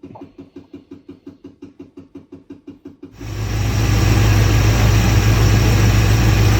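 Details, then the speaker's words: Freshly swapped engine with new exhaust: even cranking pulses, starts easily and settles into a smooth, steady high idle on the electric choke, expected to drop to about 800 rpm; no knocks. "this is how easy she starts shot of the gauges that's a high idle with the electric choke and she'll fall down to about 800"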